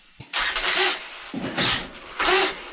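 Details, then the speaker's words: HPI Savage Flux RC truck after a new slipper clutch spring, held firm on the bench and throttled: three bursts of high whirring as the motor spins up freely; slipper clutch slips too much and smells hot, so it needs tightening. "oh it's that okay it's got a little bit too much slip see uh yeah a little too much"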